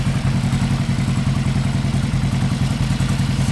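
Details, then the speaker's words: 1975 Yamaha XS500 B cafe twin before the carb sync: loping, uneven idle about three pulses a second, one cylinder sounding weaker. The left cylinder carries most of the load at idle; owner hopes syncing the carbs fixes it. "let me fire it up so you can hear starts up real nice go ahead a little bit of jump so I'm going to tune it sync the carbs hopefully that fixes it"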